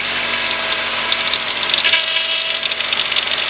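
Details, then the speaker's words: 2002–2011 Honda CR-V 2.4 at over 230,000 miles, just after a power steering pump replacement, wheel turned lock to lock: hissing, gurgling rush with crackly bursts as air purges from the foamy fluid, then quieting, no whine. "So you can hear the air. Turn it all the way to the right. Alright, you can see the foam there. That's just the air purging out of the power steering fluid."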